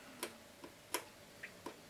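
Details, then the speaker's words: Diatone JR-911 boombox with new belts, radio working, pressing play: six sharp uneven clicks in two seconds with no tape drive sound; owner thinks the motor runs, but the cassette mechanism clicks without engaging. "And whatever, but the deck is not working at all."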